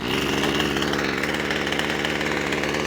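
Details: Two-stroke strimmer that would not start runs after its suspect old fuel is replaced with fresh. It holds a steady, even buzz at fast revs, smoking as contaminants burn off, and runs really well.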